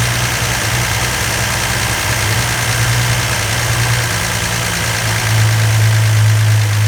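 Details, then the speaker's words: Freshly rebuilt 170 slant six in a Valiant, holding a fast idle for cam break-in: steady, even fast idle with a smooth, unbroken drone and no knocks or misses; healthy running. "Pure sweetness. You can hear things just rolling."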